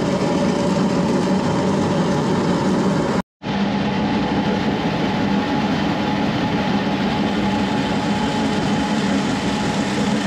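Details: SIPMA roller grain crusher after a DIY repair welding short bead pieces onto a roller, with the gap adjusted: steady, even grinding roar with a constant hum, no knocks or surges. It runs fast under load with rollers perhaps slightly too tight; corn comes out nicely broken.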